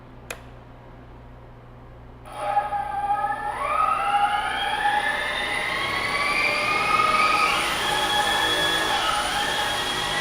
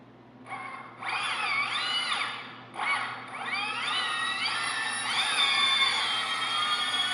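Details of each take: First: Heavy-lift drone on flight test, motors spinning up: several whining motor tones rising and wobbling unevenly, not holding steady speed; dead battery suspected, unconfirmed; abnormal motor noise. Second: Heavy-lift drone armed at low throttle, after swapping motor wires to fix rotation direction (not DShot): motor whines rise in staggered steps, one motor joining late, then hold an even pitch. All motors spin the right way; there is slight concern over the slow one.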